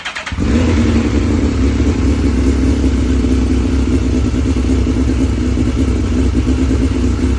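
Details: 2006 Suzuki GSX-R 1000 after fuel pump replacement with Quantum pump, in neutral, pump primed: fires within half a second and holds a steady even idle with no misses or stumbles; runs normally.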